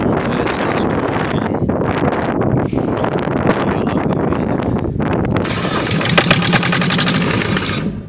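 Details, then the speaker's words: Kohler KD425-2 small diesel after a tune-up, modified exhaust and fixed leaking fuel lines, cold day, air leak suspected earlier: steady, even run with a crisp, slightly high-pitched two-stroke-like bark, no misses. Normal running. "right there, I can hear a little bit of that two-cycle tone I was talking to you about. Kind of hard to hear the engine talk."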